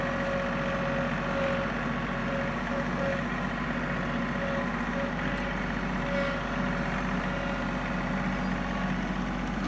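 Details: John Deere 3032E tractor at diesel idle: thin mid-pitched whine that comes and goes over the engine; cause unknown.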